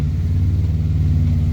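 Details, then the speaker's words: Morris Minor 4-door after new ignition barrel: low lumpy idle with uneven beat under exhaust rumble; runs but missing, owner suspects points and plugs; ignition light on from stuck regulator. "Something's not quite right with it, but the ignition light's on because the regulator's stuck. But it does run."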